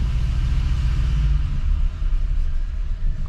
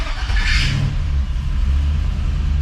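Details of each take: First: LS-swapped square body 3+3 V8, cold start on a Holley Terminator X that is still learning its parameters; low rumble with the idle swelling and sagging as it settles. Idle hunting on cold start. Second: LS-swapped square body 3+3 V8, cold start on a Holley Terminator X that is still learning, alternator not yet charging; fires instantly into a deep strong rumble and hunts slightly as it settles. Normal cold start.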